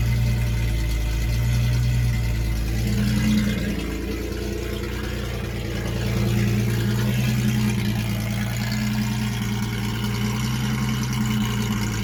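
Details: 1976 Datsun 280Z, first start after sitting four or five years, no exhaust: loud raw uneven rumble swelling with throttle blips, keeps firing, nothing mechanically wrong; won't restart hot, owner suspects distributor.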